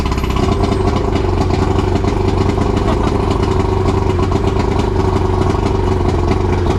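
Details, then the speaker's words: Outboard on a used boat bought in Miami, started after the fuel filter was separated, the engine reassembled and fuel primed with the bulb: it catches and settles into a steady, even running throb with no misses or stumbles. "I'm gonna use the priming bulb and get some gas in there, and then start it up and see if I did a good job or not."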